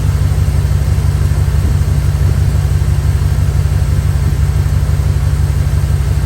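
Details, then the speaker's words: Dodge Dakota at idle with a sensor unplugged while running to force the electric cooling fan to high speed: strong, steady low rushing roar that grows louder; the fan is working fine. "You kind of hear how that got louder. All right. I don't know if y'all can tell or not, but it's definitely working."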